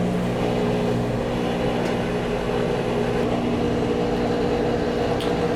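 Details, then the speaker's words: Maytag washer with F7E1 error code: motor energised gives steady hum but drum and agitator never rotate, can't overcome initial friction; diagnosed dead capacitor. "So what ended up happening, the capacitor, it would start, the motor would start humming, you could hear it trying, but it would never get over its initial friction."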